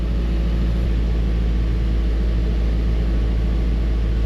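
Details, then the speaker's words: Chevrolet Tahoe V8 with misfire, scanner counting misfires: deep idle with uneven loping beat as one cylinder drops out, less at higher engine speed; engine misfire on one cylinder. "all right with the engine speed higher it's not as bad now let's see when this thing comes down what it does now it's not misfiring so bad isn't that interesting"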